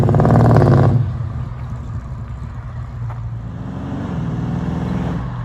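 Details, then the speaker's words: Holden LX Torana V8 with dual tailpipes and no balance pipe. A loud rev dies back to a raspy, hollow idle with a harsh pulsing "HQ bark": exhaust bark from dual pipes without a balance pipe. "these tail pipes down here uh they got to go and it's got that horrible HQ bark and I don't know about you but that sound is disgusting"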